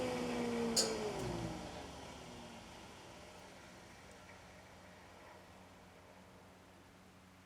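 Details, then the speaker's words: Used Jet 8-inch jointer, first start after cleaning, lubing and setup: smooth motor whine falling steadily as the cutterhead coasts down, no rattle or grinding; healthy. "looks like it's brand new so let's start it for the first time i'll hit the on let me open this up just so you can see"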